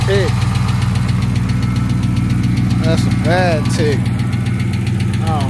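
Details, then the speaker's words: Engine on a car sat unused with dead battery, cranked and idling: fast regular light ticking, about three to four per second, from the motor; owner suspects a lifter and plans oil change with additive. "got a cranked up guys cuz you do not sound happy I hear some ticking"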